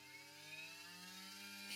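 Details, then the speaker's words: Critical Torque wireless tattoo machine running at its highest 13 volts: a steady, even small-motor whine rising slightly in pitch, smooth with almost no vibration and no rattle. "As you can hear, it sounds really smooth, almost no vibration at all. So the highest it goes, it's 13 volts."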